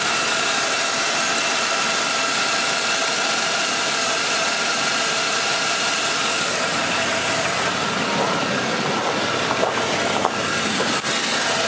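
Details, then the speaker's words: 2001 GMC Sierra 2500HD stock engine idling after replacing Autolite platinum plugs with factory-gapped NGK Laser Iridium plugs: smooth, even idle, definitely quieter, no ticking or misses over a steady rumble; normal idle. "Yeah, it's definitely quieter. It wasn't very loud before, but I don't hear any tick at all."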